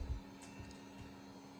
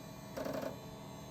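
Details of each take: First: HP Pavilion 9870 Windows ME multimedia PC, first power-on after reassembly: quiet steady low hum of fans spinning up to an even pitch, no rattle or whine; fans sound healthy. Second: Late-1990s/early-2000s HP Windows ME multimedia PC after component replacements, powering on with no hard drive detected: low hum with a short burst of rapid mechanical chatter and buzzing at boot, possibly the floppy drive seeking.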